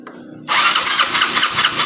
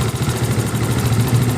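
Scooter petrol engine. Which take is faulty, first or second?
first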